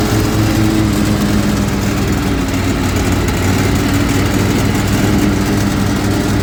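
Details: Zero-turn mower twin at idle following a valve adjustment, blades engaged; low, uneven chugging whose beat sags as if it might quit: bogging under load; cause unknown.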